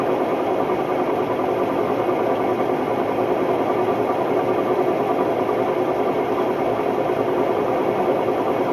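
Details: Hotpoint Ultima WMD960 washing machine on test spin: loud, even roar with a slight throb, steady throughout the spin, attributed to bad drum bearings.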